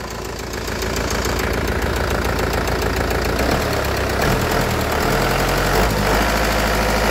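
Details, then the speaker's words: Kia Carnival after repair, warm idle: cold start slightly unbalanced with ticking from scored liners and 16 weak hydraulic lash adjusters, but once hot the engine is very smooth; steady even idle with soft regular pulse, no misses. "jadi e kalau baru Setak itu agak kurang imbang tapi kalau sudah panas dia lebih halus ya ini mesinnya anteng ini mesinnya anteng mesinnya anteng banget"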